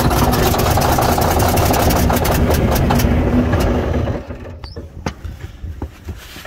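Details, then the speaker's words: Cold start of a diesel in mid-February after a heavy snowstorm, helped by ether sprayed near the air cleaner: heavy clatter roars for about four seconds, then drops to quiet ticking. A slight exhaust leak is audible from a broken exhaust manifold stud. "Up for a while. It has a little bit of an exhaust leak, as you can probably hear."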